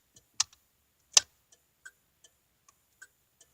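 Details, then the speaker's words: Cadillac with weak battery: turn signal flasher clicks sharply and unevenly, roughly two or three a second with long gaps; signals working but slow, attributed by owner to low battery charge. "but so far so good with the turn signals they work a little slow cuz the batteries alone juice"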